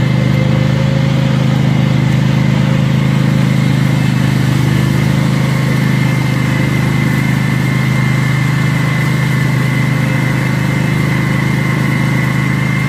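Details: Cub Cadet zero-turn mower running after an oil and filter change and new fuel filters; a steady, loud, deep drone at a fast even idle with no muffling. Loud exhaust from disconnected muffler.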